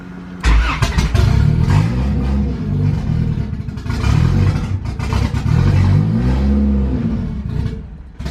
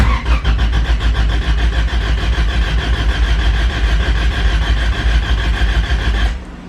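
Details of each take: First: Honda Civic B20 VTEC with newly installed turbo kit, chipped P75 ECU on basic start-up map (ran fine before the kit): fires and revs in repeated bursts then sags and dies; starts but won't idle, cause unknown. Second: Honda Civic with B20 VTEC engine, distributor unplugged but fuel pump and injectors active, cranked to build oil pressure during dyno prep: even starter chugging at about three pulses a second for six seconds, no firing; normal cranking.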